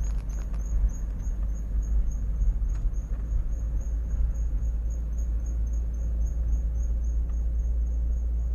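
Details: Thin high-pitched squeak pulsing steadily over road rumble while rolling, stopping when braking; worn brake pads, fixed by replacing them.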